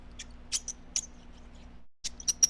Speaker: but those threads can be squeaky I don't know if you heard that but I mean listen to this